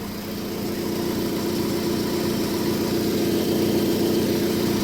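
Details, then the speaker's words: 1998 Hyundai Tiburon, 51K miles, long neglected, petrol engine idling after tune-up: faint quick repeated chirp or light rattle; owner first suspected a belt but finds it's not the belt drive, wonders if hood rattles. "That chirp I hear it's something rattling over there. It's not It's not in the belt drive cuz when I put my head here it's over here."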